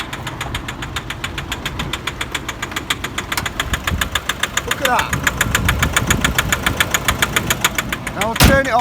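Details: Nissan Euro 5 pickup diesel, 53,585 miles: sharp, regular knock about three and a half times a second over the idle from a worn big end bearing, blamed on failing injectors diluting oil with fuel.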